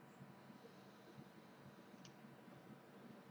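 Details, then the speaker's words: Clearomizer after about 10 ml of use, left standing overnight or for an hour: faint irregular crackle and spitting clicks when fired as excess liquid floods the coil; a dry burn clears it. "If it's like this, it will tend to flood a bit. Not overly, it's not that bad, and you can just sort of, do like you can hear that sort of crackling away."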